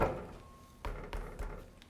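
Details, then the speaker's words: Lexus GX470 wheel rocked by hand: three dull clunks about a third of a second apart, other parts rattling; loose wheel hub bearing play. "I hope you can catch that on camera because this wheel have movement you can immediately hear it sometimes the movement is so minute that if you're doing it in a rush you won't feel it"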